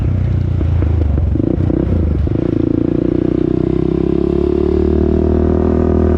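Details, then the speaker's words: 2001 Honda TRX400EX quad, single-cylinder, retest ride at low speed after a ticking noise was heard earlier: steady drone rising smoothly, no tick or clatter; engine sounds healthy. "so now we're gonna be doing you know a new test run y'all to make sure we don't hear that ticking noise no more"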